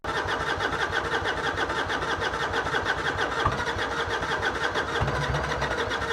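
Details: Carbureted 2005 Harley-Davidson Heritage Classic with carburetor-related issues, after carb adjustments: steady starter churning at about three strokes a second goes on and on without catching. Long cranking, hard to start; cause not confirmed.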